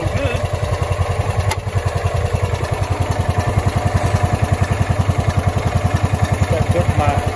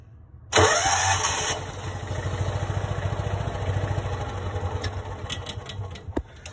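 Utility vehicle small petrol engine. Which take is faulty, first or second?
second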